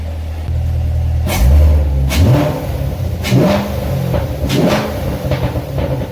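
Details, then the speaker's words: C7 Corvette just fitted with a cold air intake, freshly started: several quick blips over a deep, even rumble with crisp intake roar and no rattles. The intake is clearly audible; the engine revs cleanly. "just better listen to that not too shabby can definitely hear the intake now"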